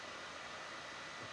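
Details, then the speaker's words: 12-inch PowerBook G4 booting Ubuntu MATE 16.04 after install: steady loud rushing whoosh with faint high tone, no pulsing; cooling fan running hard at full speed; owner suspects the hard drive will die soon. "there goes the fan again always nice to hear that and I think this hard drive is gonna die very soon"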